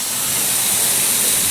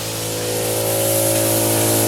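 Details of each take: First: Sprinkler zone blowout with a 22-gallon air compressor, second 5-second blast on a zone out at the curb: a constant hard hiss of rushing air with hardly any spit, just a couple of last drops. The line is nearly blown clear, air only. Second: In-ground sprinkler blowout with a 22-gallon air compressor: after residual water, steady rushing hiss over a low hum as air reaches the heads down the line and forces remaining water out as mist.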